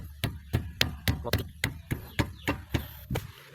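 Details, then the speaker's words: 2005 Toyota Vios (Limo Gen 1) front left corner after repair, tested by striking the tyre: about a dozen dull thuds, each dying out cleanly with no metallic rattle; clunk over rough roads fixed. "Sekarang kita tes. Dia sudah enggak enggak bunyi."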